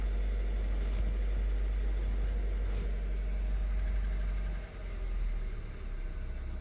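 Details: 2013 VW Golf Mk7 1.4 with random/multiple cylinder misfire codes P0300, P0301, P0302 that don't return after clearing, slight oil smell after long drives: uneven stumbling idle about four beats a second, lumpy low thrum; cause not yet found.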